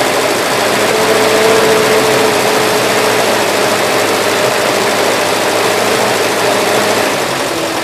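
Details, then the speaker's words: 1977 Gravely GMT 900 after adjusting the carburettor main adjustment screw, choke off, still on a mix of old and fresh gas. Loud, steady buzzing run with no surging or stumbling. Normal running. "the choke is the Hawaii off now and it seems like it's running halfway decent sounds like the vowels caprera is adjusted too you know"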